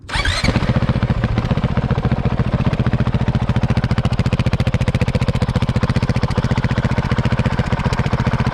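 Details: Motorcycle, in neutral, after gas tank work, no exhaust fitted before the RS4 exhaust: starts first try, settles into a deep, steady, evenly spaced exhaust thump; normal idle.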